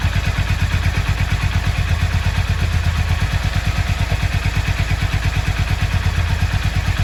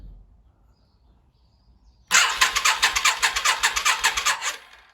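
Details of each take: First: Yamaha XV 535 Virago barn find, laid up since October 2013 (about 10 years), first start after refuelling: the twin runs with a steady, even low thump of about three beats a second, no misses or knocks. Normal running. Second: Yamaha XV 535 Virago barn find, laid up since October 2013 (about 10 years), first start attempt with fresh fuel, leaky fuel hose: starter cranks steadily about three seconds, engine never fires; owner suspects weak battery.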